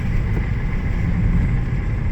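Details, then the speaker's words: 2006 Ford 500 after misfire repair and complete tune-up, test drive heading to 50–55 mph: steady low engine drone, smooth, no rough idle, no misfire or sputtering. "Car runs nice and smooth, no rough idle. Engine sounds great, sounds pretty smooth."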